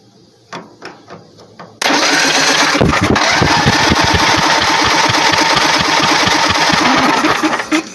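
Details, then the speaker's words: Bolens QT17 tractor engine, previously stuck and soaked with diesel, cranked with a jumper tool: starter churns steadily, about three to four compressions a second, never fires; no spark confirmed with a known-good plug. "No spark."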